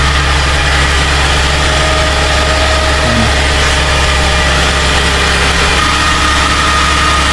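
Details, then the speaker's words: Suzuki Vitara idling after bolts were refitted in a rattle repair: a steady, even, low hum with no knocks or rattles. It is quiet now with no smoke, the idle has come down and there is no leak. "Okay naman, walang usok. Yan, bumaba na yung idle niya. Walang leak."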